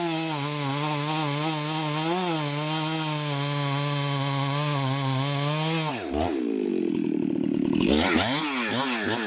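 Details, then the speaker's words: Chainsaw after bench repair, test-cutting: clean high scream at full throttle that dips and recovers smoothly as the chain bites; owner's best-running saw, apparently mildly ported, may need fine tuning or a less aggressive chain; normal running under cutting load. "but i am so stoked right now this saw is probably the best running saw that i have it's got a seems like a little mild port job on it"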